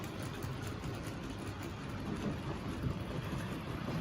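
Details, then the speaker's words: Wrenn W2230 Bo-Bo Class 20 model locomotive, refurbished, running in on a vintage Tri-ang Super 4 layout: quiet, even low motor rumble and steady wheel roll without knocks or stutters, running very well now. "And it really is running very well now."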